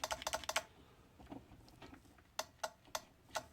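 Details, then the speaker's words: Thrift-shop electric scooter jumpered to power for diagnosis: a few sharp dry clicks, then four clicks about a third of a second apart; relay switching but motor gets no power, or motor suspected burned out. "You can hear a relay kicking on in there. But it doesn't seem to be getting any power to the motor, or the motor's burn out, so we'll have to investigate from there."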